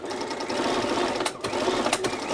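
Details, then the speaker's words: Bernina 930 Record Electronic sewing machine on basting stitch, which fails to unlatch the needle bar: fast harsh clacky rattle, about ten sharp clicks a second, too noisy; the mechanism needs attention. "and it sounds noisy doesn't sound right too too clacky so this needs a bit of attention there"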